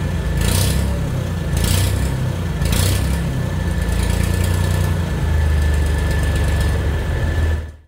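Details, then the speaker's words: Small tractor engine after new muffler replaced rotted one, previously straight pipes: steady, deep, even exhaust rumble with no knocks, then shuts down; big improvement though still fairly loud. "say that's a hell of an improvement. I think it's still kind of loud, but it's a tractor, right? You're not gonna get like super quiet with a tractor."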